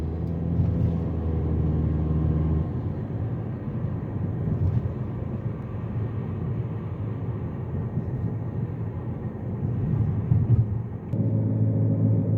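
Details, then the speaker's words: Jeep Patriot (FWD) after rear wheel bearing replacement, test drive: steady low road rumble and even tyre roar at cruise with no growl or hum rising with speed; bearing noise gone. "one more final thing when I spin the wheel that noise is gone"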